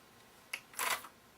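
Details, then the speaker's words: TEAC V900X cassette deck with transport problems before its belt change and variable-resistor adjustment: a light click, then a short harsh clatter as the transport stops abruptly, rough stop mechanism. "doesn't sound great when it's when it does actually stop very quick"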